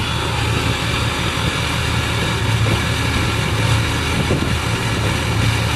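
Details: Ford 6.0 Powerstroke diesel at idle with a bad injector. Steady idle with a lumpy, uneven low beat underneath as one cylinder fails to pull its weight; misfire from the faulty injector.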